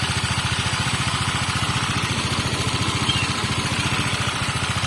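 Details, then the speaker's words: Water-cooled motorcycle that had rough running and boiling coolant, after repair, fully hot with thermostat open: steady, even idle at about 3.5 pulses per second with no misses or knocks; engine now smooth and coolant normal. "Oke bosku Ya suara sudah halus dan untuk air radiatornya sudah oke sudah normal kembali"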